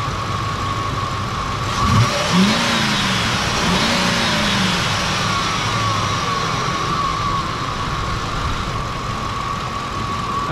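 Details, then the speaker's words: Ford F-150 that died with no fuel (P0174, P0191) restarted after new fuel rail pressure sensor and fuel sending module: cranks and fires about two seconds, blips once, settles into smooth, even idle; running fine. "sweet it looks like we're good I'll keep an eye on it probably just gonna drive around like locally for now just to make sure that um everything is running and working the way it should"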